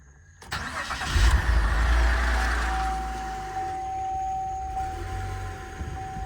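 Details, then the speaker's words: Flood-damaged 2007 Cadillac CTS, about 50,000 miles, fuel pump primed: brief crank, catches cleanly within about a second, settles into steady even idle; AC and power steering belt bypassed as AC compressor seized. Normal start. "Come on, girl. Sounds good."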